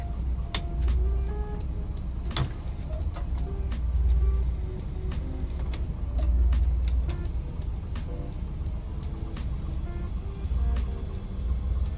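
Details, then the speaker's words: 1988 Volvo 240 DL, about 100,000 miles, revived with new silicone vacuum lines and a new stock exhaust: idle surges up and down amid button clicks as pressing climate control buttons opens a massive vacuum leak. "if you press any of the climate control buttons they just massively HS a vacuum leak so much so that the engine RPM fluctuates"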